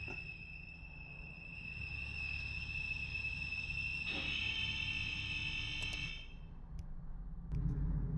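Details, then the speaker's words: Porsche Boxster 987, noise from rear with oil pressure warning light on: piercing steady high squeal over a low engine hum, getting louder then cutting out; loud engine screech, cause not yet found. "that's the actual noise the car was making pretty loud"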